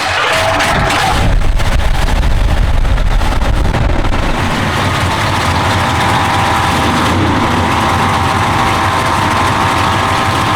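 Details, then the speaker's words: V8 with big-overlap cam on new Holley Brawler 950 carburetor and Holley electric fuel pump, just started, still cold: deep, loud, slightly choppy idle holding steady, sounds healthy — normal cold idle. "So, as you can see it started right up. Uh, it's not that warm. It's pretty cold."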